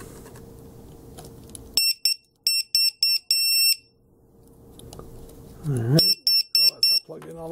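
Sharp high-pitched beeps in two quick bursts of short pulses when the pack connects; normal startup chirp of a healthy battery alarm.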